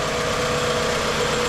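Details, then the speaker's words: 2003 Toyota Camry at smooth, even idle with steady low hum, no misses or ticks, after refitting the mass airflow sensor; sounds as it should; normal idle. "So it sounds like she's supposed to sound. Nothing out of the ordinary here."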